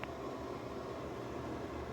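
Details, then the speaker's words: NuTone bathroom exhaust fan after cleaning and greasing to fix loud humming: steady, even whoosh with soft low hum, no rattle or buzz; now runs quiet and smooth, far quieter than before. "as you can see that's way quieter than it was"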